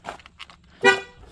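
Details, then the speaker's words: Van's horn that had never worked, heard after replacing the blown 20 A fuse in position three under the dash; one short, clear, steady honk, and the horn now works normally. "I bet you that horn works now."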